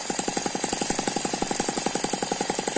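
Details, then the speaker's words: Eachine ET9 (M15) mini gasoline engine, a balanced single cylinder with twin counterbalances: quick, even firing at about ten pulses a second with a faint high gear whine, turbo-like, riding on top; smooth, nice running. "you can hear that gear noise it sounds a little bit like a turbo very smooth very very nice running little engine"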